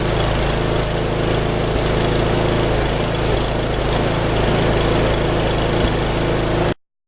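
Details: Snow blower small engine running at about 30°F after a no-start was fixed by cleaning the spark plug and reassembling. Steady drone without surging, popping or misfires, then shuts off; normal running.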